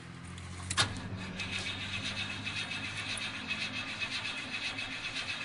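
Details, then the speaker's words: 1986 Chevy C10 with a 358ci ATK crate engine, cold start after sitting a long time with the choke pulled: steady starter cranking with an even compression pulse, roughly five a second, never catching because there is no gas in the carburetor; the pedal needs pumping. "on baby she's been sitting for a long time there ain't no gas in the carburetor all right let off of it you got to pump that gas again pump it real good"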